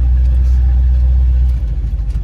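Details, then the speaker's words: Lifted 1976 Chevrolet K10 Silverado (replacement engine) on its test drive after an NP205 swap, rebuilt transmission and new lock-out hubs; smooth deep drone easing off as throttle lifts, no ticking or stumbling, normal running while driving. "this has got to be my favorite truck it rides the nicest even lifted"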